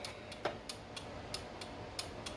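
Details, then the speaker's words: 1979 Lotus Esprit with new custom wiring, left blinker: crisp tick-tock clicks in even rhythm over quiet background from flasher relays integral to the fuse box; turn signal flasher cycling properly. "Now that it's the flash relays are right here. Blinkers and hazards, and then the horn relay is right in there."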